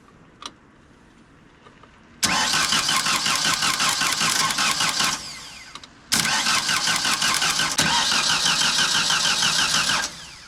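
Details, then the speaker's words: 1992 JLG 60H 4x4 boom lift with a Ford LSG-423 gas engine that previously wouldn't start. After some work it turns over much faster: two strong, even cranking bursts at about three beats per second, and it catches. "try that oh yeah there you go there we go that turns over a lot faster that's good nice"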